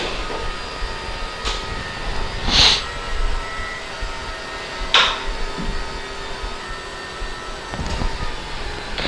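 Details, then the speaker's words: Quantum 6 Edge 2.0 iLevel power wheelchair (17 miles of use): legs and back raised together from the joystick, a low motor hum under a soft whir with a few clicks; the seat actuators sound smooth and normal. "so now I'm going to do the legs in the back I'm gonna bring them back up at the same time all right"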